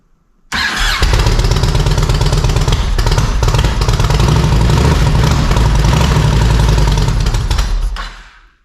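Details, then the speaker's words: 1700 Yamaha Road Star Silverado V-twin after new OEM ignition coils, plug caps, wires and spark plugs, tank off, choked, running on residual fuel: steady even beat about seven seconds then fades as fuel runs out; firing on both cylinders. "yeah that's probably all the gas that was in there for the most part but we could tell by the way it sounded it was fire on both cylinders"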